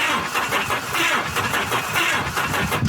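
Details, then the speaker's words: Truck cranking slowly, unevenly, about one beat a second, never catching; no spark, battery seems very weak or engine has high compression. "No spark, but she turns. Yeah, like the battery's like really weak, but it sounds fine. Or it just has a lot of compression."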